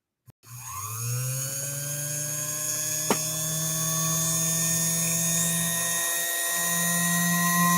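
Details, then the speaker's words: Featherweight sewing machine motor, previously dead, after diagnosis and general cleaning, plugged in during a bench test; spins up quickly to a steady, clean, even hum with no rattle, a smooth, healthy motor. "so we're getting a good response from the motor it's firing up beautifully hopefully you can kind of hear that nice and smooth nice even running on the motor as well this is way of featherweight motor should be running yeah that sounds really good"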